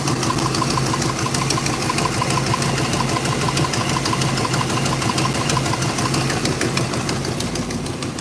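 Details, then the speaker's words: 1963 Chevrolet Impala, listened to through a screwdriver on the engine: light, fast ticking at idle, louder on one side than the other. A plugged hydraulic lifter is suspected. "it's ticking on this side but it ain't ticking as bad as on only side it could be a hydraulic lifter plug"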